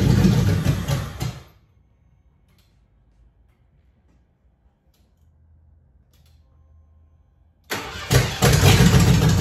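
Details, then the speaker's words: Vehicle 'Abe', not run for years, cranking in two bursts without firing. Only about 1.5 gallons of fuel in the tank was not enough for the pump to pick up and return it: fuel starvation, crank but no start. "About a gallon and a half wasn't enough to have the pump pick it up and return it."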